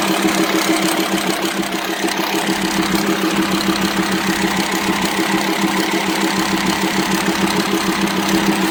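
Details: VW Transporter T5 2.5 AXD/AXE diesel: rough idle with a steady metallic ticking about three per second from the cylinder head; worn, broken camshaft from lack of lubrication through leaking plugs, low power, metal dust in oil.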